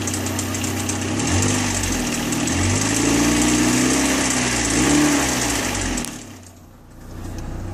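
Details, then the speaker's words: Saturn inline four-cylinder engine after water pump failure, oil visibly burning off and smoking: rough, rapid, fairly regular ticking over the engine, rising and falling with revs; owner hears heavy ticking, cause unconfirmed. "now that was just to give you the idea of how this thing sounds and to me that sounds like the sucker's ticking quite a bit"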